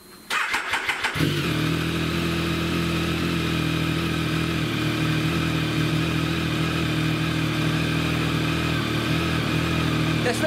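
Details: Triumph Tiger 1050 with an intermittent no-start fault: a brief crank, then it catches instantly into a smooth, steady idle. A normal start this time.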